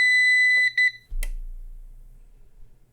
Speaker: Okay, we got some beeps and clicks and a little bit more power usage. Uh, doesn't look bad to me, but who knows?